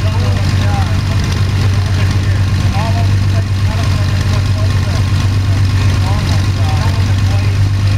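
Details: Sonex homebuilt aircraft, Jabiru 3300 six-cylinder engine with Rotec TBI, about 50 hours, first engine start after throttle set a quarter inch and mixture full rich; EGTs 700-800F; smooth even low drone, no knocks, misses or rattles, healthy idle.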